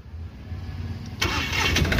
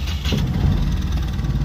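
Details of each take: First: Mahindra Supro diesel with injector code P0201, after a broken wire was reconnected; weak cranking for a few seconds before catching into a rough idle; loose common rail connector and touching wires blamed; hard starting. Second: Mahindra Supro diesel after repair of a chafed, broken injector wire (code P0201) and loose common-rail coupler: brief steady, even low idle clatter, no stumbles or knocks, no check light; engine now starts and runs normally.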